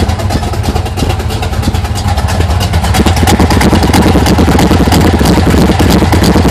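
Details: 1980 Sierra C15, junkyard L31 Vortec 350 (130k-mile pistons/rods, 9.5:1), Summit K1107 .488/.510 lift cam, Performer RPM intake, 600 Holley, Flowtech headers, Thrush turbo mufflers; cold idle: choppy, uneven lope near three beats per second from large cam; mic clipping.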